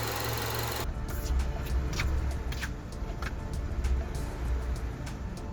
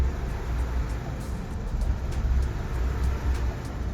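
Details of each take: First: Acura RSX, warm engine, previously low rough idle with stalling, after idle air control valve and throttle body cleaning: low even idle holding steady near 700 rpm with no drooping or hunting; idle healthy, relearn underway. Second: Acura RSX warm engine: very low, rough, lumpy idle around 200-300 RPM, sometimes stalling, needing a little gas to keep idling.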